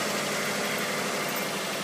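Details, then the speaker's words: 1994 Subaru Legacy EJ22T after replacing two ticking hydraulic lifters on the exhaust side: steady, even idle with a smooth low rumble and no ticking or knocking, engine sounds healthy after repair. "sounds like Shazaam sounds pretty good"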